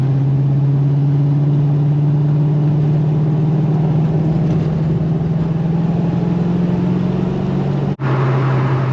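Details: 1990 Ford Mustang Foxbody GT 5.0 V8, manual, 1,365.6 miles on odometer, in for fuel lines melted by custom exhaust, test drive: steady, even low drone under light throttle, no knocks or misses; engine pulls cleanly and healthy.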